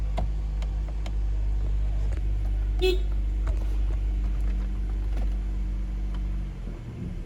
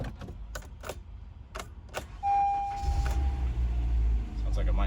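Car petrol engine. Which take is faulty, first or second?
second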